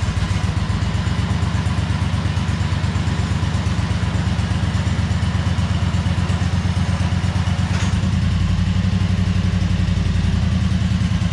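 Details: 2003 Wright Stander mower, 23 hp Kawasaki, with fuel pump rigged to the crankcase pulse output: chugs at fast idle with a loose, clattery beat that never settles; poor running because choke and throttle cables were on the same linkage, working against each other.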